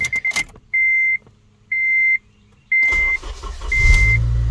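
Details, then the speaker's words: 8th-gen Honda Civic after the VTC rattle fix: chime beeps once a second while the engine cranks, catches cleanly and settles to idle with no cold-start timing-gear rattle, which formerly lasted about three seconds. "all right this car used to rattle for like three seconds before it used to uh stop all right as you can see it didn't rattle"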